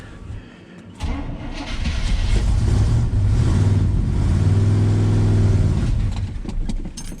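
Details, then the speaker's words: 1976 GMC C15 Squarebody V8, long-abandoned, after battery charger boost: brief cranking catches into a strong low rumble that revs and settles evenly; normal start, just needs choke adjustment. "Old Bad Chad running like a top. Just gotta play with the choke a little bit. Perfecto."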